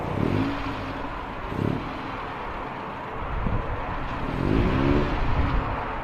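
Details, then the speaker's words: Honda CRX after the Vibrant 2.25in muffler/resonator swap on the Spec-D catback (old eBay muffler found empty), pulling away: deep, smooth exhaust note climbing cleanly through each gear, no rasp or drone; sounds healthy. "Chris about to take off, get one final listen of his exhaust."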